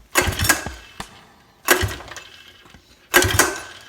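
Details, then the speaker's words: 1982 Yamaha Tri-Moto 175 no-start: compression and spark confirmed good, so the carburetor is suspected; three rope pulls, each a quick rasping crank that dies away, engine never catches. "We got good compression, we got good spark. I'm going to start going after that carburetor."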